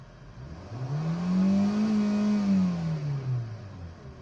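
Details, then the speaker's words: Kia Picanto with about 2-second throttle delay, after brittle heat-damaged hoses and wire harnesses sprayed with WD-40, revved at idle: now responsive. Revs rise at once to steady high rpm, hold, drop back cleanly; normal throttle response. "So responsive na siya. Hindi kagaya nung dati 2 seconds bago mag-response."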